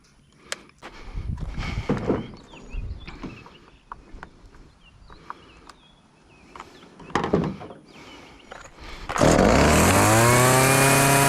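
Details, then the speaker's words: Homelite chainsaw that sat for years and wasn't firing, after carburetor and fuel lines replaced and tune-up, test run cutting a pallet. Fires and holds a strong, steady high buzz with no stumbling; normal running. "i got the power saw chainsaw all fixed up now i'm gonna do a little test run"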